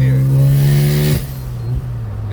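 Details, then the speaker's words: 1993 Mazda RX-7 after an exhaust leak was fixed, on a few quick pulls: a strong, even rotary drone with no puffing or ticking, dropping away as the throttle closes. The exhaust sounds sealed and normal under acceleration. "yes sir yes sir she is back yes no exhaust leak it's great man that exhaust sleep was driving me crazy"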